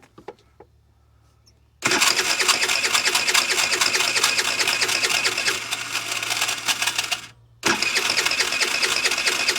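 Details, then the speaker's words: 50cc Ice Bear trike scooter: the starter whirs for several seconds, pauses and whirs again, but the engine never catches. A broken or zip-tied vacuum line near the carburetor is suspected of causing a vacuum leak. "so we got another vacuum line right here that appears to be zip tied shut it's got a little plastic end in it so i'm wondering if maybe maybe that is creating a vacuum leak and not letting it"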